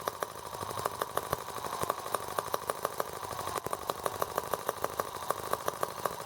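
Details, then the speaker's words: R18 model engine on first start with a replacement Hall sensor harness; ignition now sparks. Light, irregular popping about three a second with a shaky rhythm, running rough and unbalanced. Owner suspects an empty water reservoir, not confirmed. "Yeah, now I have a serious balance problem. I wonder what the deal is with that."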